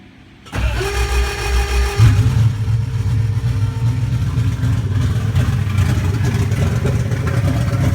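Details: Turbo Toyota 1UZ-FE V8 in a KE20 Corolla with big custom Kelford 286 cams, exhaust off: cranks, fires, settles into a loud choppy lumpy idle from the aggressive camshafts.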